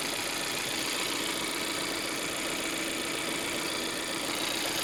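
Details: Volvo 1.5 T3 petrol engine at idle: loose, uneven tapping of about two or three knocks a second over a hissy background; knocking source unclear.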